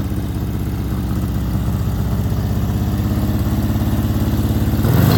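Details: 1970 VW Beetle-based rail buggy with a built 1835cc air-cooled engine, running well: even, throbbing chug that climbs smoothly and picks up on a quick rev with no misfire; normal idle and revving.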